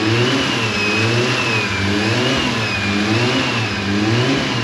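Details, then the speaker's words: Freshly fitted 1JZ six-cylinder in a JZX90 on first run, clutch not yet bled (earlier scary noise was clutch fork), fuel leak noted: clean, strong revs rising and falling smoothly, no knocks, rattles or squeals; healthy. "Whew, she's sounding good, thank God. It's good to hear this thing running again."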